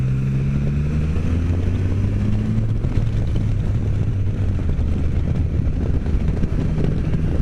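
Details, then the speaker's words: Can-Am Spyder F3 cruising a back road after belt adjustment (pulley previously spun and once fitted backwards): steady low engine drone with road and wind rush, no belt slap or chirp; belt noise gone though belt position not ideal. "And, you know, noise is gone. The belt's not exactly where I would like it to be, but it's good to go."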